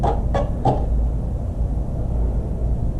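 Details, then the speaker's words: Honda CRF450R non-running dirt bike engine, crank turned by hand toward top dead center: three short raspy metal-on-metal scrapes about a third of a second apart, then quiet; botched timing suspected, not confirmed. "a motor should not sound like that when it's when it's turning over this thing turning over and sounding like that is very bad it's metal on metal like something it's got to be wrong with it"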